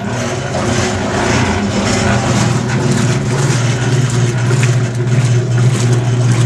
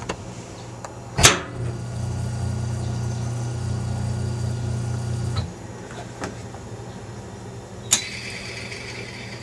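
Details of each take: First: Maytag E2L wringer washer, just fitted with a new motor cord: steady low motor hum with loose rhythmic churning about twice a second while the agitator runs; mechanism noise, owner thinks it needs fresh oil or grease. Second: Maytag E2L wringer washer motor tested after fitting a new cord (temporary wire-nut connections): clunk at switch-on, then about four seconds of steady low even hum before stopping; motor runs smoothly.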